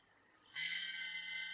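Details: MSI GE60 laptop, about 3 years old: fan spins up into steady buzzing whine with harsh hiss; failed cooling fan bearing, fixed by replacing the fan.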